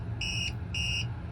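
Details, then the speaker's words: Alarm panel after mains power is removed, with a UPS still supplying it: two short, shrill beeps half a second apart over a quiet room hum, a trouble signal for an AC power fault while the emergency light comes on. "emergency light kicked in but we have an AC power fault now"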